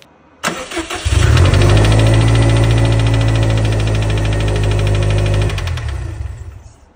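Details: Subaru STI engine starting and idling with a steady metallic knock about four times a second, heard as a ticking from the engine bay; second bearing failure, found to be the crankshaft thrust bearing.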